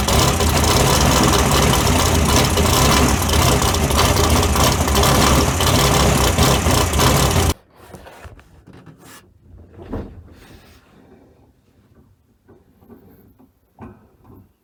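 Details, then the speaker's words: Very first firing of the 355 small-block V8 swapped into the '57 (replacing the smoking 427), with timing not yet set: a loud, ragged, lazy rumble for several seconds, then it cuts out. Retarded ignition timing on first start. "This is the very first. We ain't set time or nothing. Yeah, we ain't set time or nothing, so just bear with us a minute."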